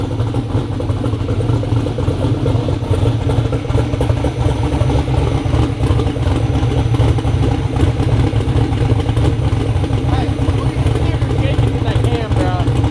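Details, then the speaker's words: Twin-turbo Black Sheep V8 street car, first startup with factory starter and electric fuel pump: deep, choppy lumpy idle lope with no knocks or ticks; healthy engine with big cam. "ain't no mod motors that thing sounds healthy it does good for the first startup"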